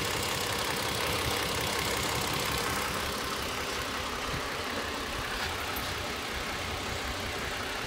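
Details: Toyota Avalon petrol engine misfiring at idle, uneven loping stumble about three times a second; injector and ignition signals checked with a scope, injector pulse around 20 ms judged too high.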